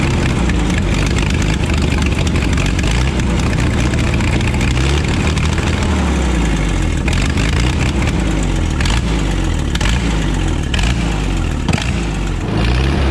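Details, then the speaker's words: Wheel Horse Power Horse 4WD tractor with Ottawa loader: idle hunts up and down in a lazy lope; fuel pump pressure pushing past the carburetor float needle over-fuels it and the governor overcorrects. "so here's the situation why it was being all lopy Nicholson thought it was super cool"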